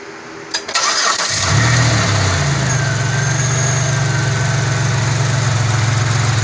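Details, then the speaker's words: Pontiac Grand Prix after reassembling injectors, fuel rails and MAP: brief crank, catches and settles to steady cold idle with no vacuum leak hiss; coolant bleeding still pending. "Sounds a little more stable. Yeah, I don't hear any vacuum leak."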